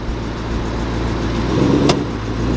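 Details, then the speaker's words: Dodge/Chrysler SRT 300 Hemi V8 with suspected blown differential: steady idle, then one loud sharp driveline clunk when shifting between reverse and drive; cause suspected, not confirmed. "Yeah, so I don't know how good y'all can hear that, but it's a loud clunk. We gotta get that fixed."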